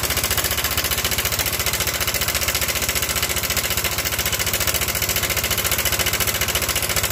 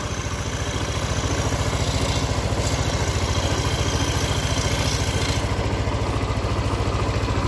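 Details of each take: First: Yamaha Nmax scooter with rough "klotok" noise for several days, side deck removed: a fast, rough, steady clatter at idle; cam chain tensioner broken inside so plunger no longer presses, leaving cam chain slack; fixable by re-hooking. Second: Yamaha Nmax scooter after repair of rough "klotok" engine noise, side deck removed, air intake hose still off giving some wind noise: steady, smooth, even idle with no top-end clatter; fault was a broken tensioner, now replaced.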